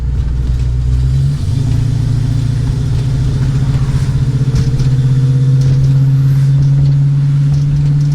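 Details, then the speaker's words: Classic car after vacuum leak fix, EGR/smog and cat removal, with short-tube headers, Flowmaster H-pipe and Super 40 mufflers, 2.5-inch exhaust: deep smooth rumble climbing in pitch under acceleration, no misses or rattles; healthy engine. "That sounds amazing. I love that deep throat sound. Oh, she's rumbling like a muscle car now. Like a true muscle car."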